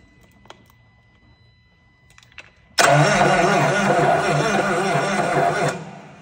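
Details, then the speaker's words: Truck diesel run on double jump boxes while hanging from a chain: it starts after cranking, then runs rough and lumpy with loud intake sucking. Crew suspects a broken rod; not confirmed. "Oh, she sounds terrible. Ready? Yeah. You hear the intake sucking and stuff."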